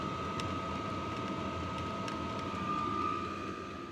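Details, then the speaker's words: Diesel heater with quieter fuel pump, quieter muffler and added sound-deadening foam, microphone about 3 ft away, on low setting: soft steady air rush with faint constant whine, barely audible; normal running. "Yeah, that's not too bad. Can't hardly even hear it running."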